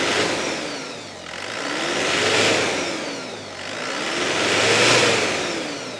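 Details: Chevrolet Tavera diesel after a lift pump workaround, with the added pump running steadily: engine swells up and settles back twice in smooth, even revs, no misfire or stumble; healthy engine.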